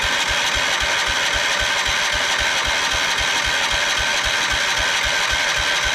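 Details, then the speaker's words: 1979 Kohler K301 12 hp single-cylinder mower engine, on battery after rewiring: even starter chug, cranks but won't start; owner suspects a dry fuel pump, bad fuel pump or gummed-up carburetor. "I'm going to try dribbling a little fuel in there again see if we can get it primed up the fuel pump is probably dry so it's not sucking the fuel up probably otherwise it's just a bad fuel pump or the carb is gummed up"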